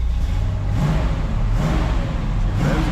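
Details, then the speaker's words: 1967 Camaro V8 after 6 years of neglect, fuel line replaced: heavy, lumpy, stumbling idle, like running on about four cylinders. Dirty carburetor idle circuit; lid to be pulled and cleaned. "So, the idle circuit's just dirty. Yeah, it idles on like four cylinders."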